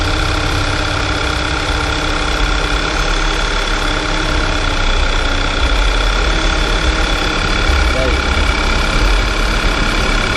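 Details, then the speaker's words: VW Tiguan engine at idle: steady idle with fast light knocking resembling timing chain rattle; caused by a broken accessory belt tensioner, to be replaced. "ficou um barulhão dentro do motor da giganta aqui dentro parecendo a corrente de comando mas não é é um sensor da correria"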